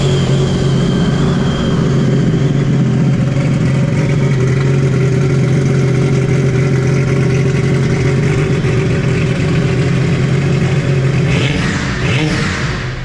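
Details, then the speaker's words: Stage 2 Sea-Doo RXP personal watercraft idling: strong steady low drone with an even fast beat, no knocks or rattles; normal idle. "i think the skis sound different up here it sounded pretty good to me i think it's a tall ceiling"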